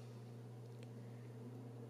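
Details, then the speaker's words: DIY TrueNAS Scale NAS built in a ProLiant generation 6 server with fan controller: 80 mm Arctic fan at minimum speed, very quiet steady low hum with soft airy hiss, no ticking; normal fan at low speed. "so you can probably hear that this is the 80 millimeter fan now it's the minimum"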